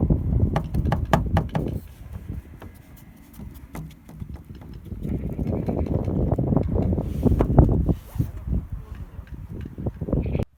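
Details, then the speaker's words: SsangYong Actyon, riding inside the cargo area, irregular hollow knocks about three a second with road bumps from the tailgate; nuts clamping the camera and light trim bar were rubbing, fixed with two drops of engine oil. "Ну все, нашел, кажись. И действительно, гайки, которые прижимают планку камеры и подсветки Вот они, 2 капли машинного масла, которые решили всю проблему."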